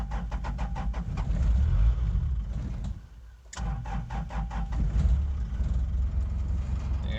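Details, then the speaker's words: Old diesel truck running 100% sunflower oil: long even starter cranking, a pause, then more cranking before it slowly catches, where it normally starts on one crank. A hard start blamed on the sunflower oil fuel. "this one's running 100 right now and uh well if i go to starter you'll hear how long it takes to crank usually it'd be one crank and it's going but this one it's uh"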